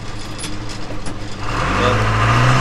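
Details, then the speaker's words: Backhoe reverser after replacing the scored control valve; before, the forward and reverse clutch ports got no pressure despite 150 on the pressure side. The diesel hums low, then pulls smoothly under load with no slipping or flare. Normal reverser drive. "i'd like to check it now but i'm not i'm sure it's working good now"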